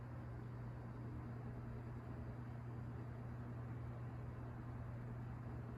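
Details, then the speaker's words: Coast-Air 12-inch box fan, older unit with thin cord, started on low speed: low even hum with soft air rush, no rattles, squeaks or screech; good blade balance, running healthy. "no noise no rattles or squeaks good blade balance"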